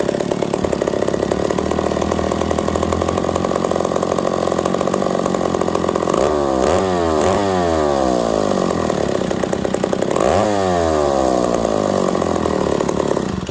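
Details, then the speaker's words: Vintage 1960–61 McCulloch 1-71 87cc two-stroke chainsaw running after work: busy buzz at a steady idle, two clean revs and back down. Normal running; the owner is unsure the oiler works. "thank you I love it I love it that's my first big running Mccalla power saw she ain't perfect but this thing's in really really nice shape"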